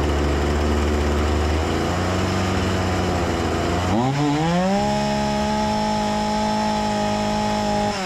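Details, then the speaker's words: Husqvarna 236 chainsaw that stalled when the throttle was released, after carburetor service and adjustment: steady idle for four seconds, then a clean climb to a high even rev without stumbling: normal chainsaw idle and rev. "Şimdi rölanti ayarını kontrol ediyorum, nerede olduğunu görmek için. Çok mu düşük, yoksa çok mu yüksek? Normal görünüyor. Boşta bekleme ayarı normale döndü."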